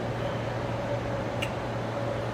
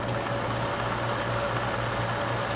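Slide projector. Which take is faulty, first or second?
first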